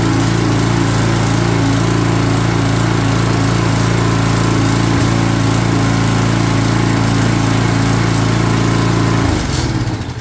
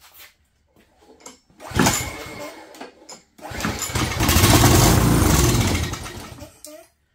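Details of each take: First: Craftsman 22" walk-behind string trimmer, Craftsman flathead engine (6.75 ft-lb torque), long sat with something spilled on it, first run on original carburetor before replacement: steady even high buzz about nine seconds, then cuts out cleanly; sounds healthy. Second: Craftsman 22" walk-behind string trimmer, Craftsman flathead engine: on starting fluid a short pop and few seconds of ragged running, then dies; fuel starvation, replacement carburetor ordered.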